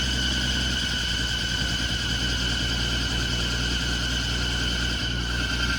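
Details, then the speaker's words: 1980 Ford F100 first start after sitting 20 years outside, mystery oil in cylinders: constant high-pitched screech over the low idle rumble; fan belt slipping, AC compressor first thought stuck then found not stuck, sticking part unknown. "i see what the problem is tell us the ac is stuck the ac yeah that uh belt noise is uh the fan belt because the ac is stuck"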